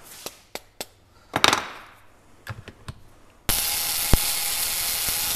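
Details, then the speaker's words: 1901 Curved Dash Oldsmobile trembler ignition coil on a coil tester: a few clicks then a steady harsh high buzz; coil draws more amps than wanted and likely needs point gap adjustment to about 0.030 in. "it's drawing a little bit more amp than I want it to draw you can kind of hear the difference in the sound of it too"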